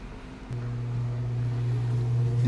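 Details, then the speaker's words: Whirlpool top-load automatic washing machine after controller board replacement for a no-power fault. A low motor hum builds steadily as the drum spins up, smooth with no knocks or grinding: normal spin-dry completing the cycle. "So umikot na spin dry. Okay na sir. Kumpleto na. Nag-wash na spin dry. Meaning complete cycle na yan."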